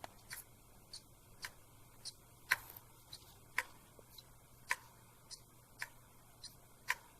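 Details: Faulty laptop SATA hard disk connected via USB adapter: sharp, dry clicks about every half second in a quiet room, the click of death; mechanical failure, disk needs replacing.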